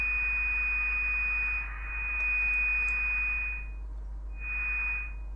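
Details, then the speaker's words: Kenwood TR-751 VHF all-mode transceiver in USB mode, IF signal injected from a mini VNA generator: clean steady high tone drops out and returns; IF section receiving normally. "We set to USB mode and we insert some signal to the if section. So we hear that the radio is receiving signal from gener generator."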